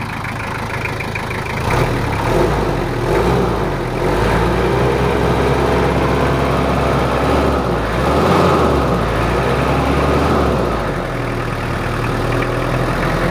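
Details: Toyota Kijang LGX 2.5 diesel idling after service, previously rough with valve clearance due; now not as rough as before: steady, even idle with a regular low chug and no roughness or misfire, normal idle.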